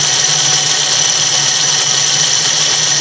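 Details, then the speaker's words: Snow blower chute winch motor, removed from the blower and run on the bench before servicing: a steady high-pitched motor drone with a coarse, growly, crunchy grind. "trying to eliminate the noise eh because there's an awful growly crunchy noise coming out of it"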